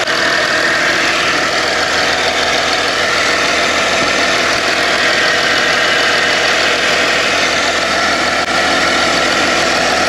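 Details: 2008 Mercedes-Benz GL320 CDI diesel after radiator leak repair and coolant reservoir replacement, not yet at operating temperature: steady idle with its usual hissy clatter, no uneven beats or knocks, no leaks seen; healthy.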